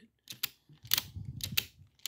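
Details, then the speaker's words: Passap knitting machine lock, cleaned and lubricated: crisp light clicks in small clusters as the levers shift, no scraping or sticking; the mechanism moves freely and normally. "but you can see you can hear everybody's moving just fine"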